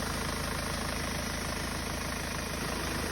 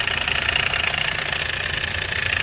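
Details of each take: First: Hyundai Starex D4CB diesel idling fully warm: steady, even clatter with no knock. Only very slight smoke and a little oil spatter remain, considered normal. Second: Hyundai Starex D4CB diesel at idle: busy metallic rattle over the diesel clatter from a slack timing chain, loose because its chain guide broke at top and bottom; engine also smoking.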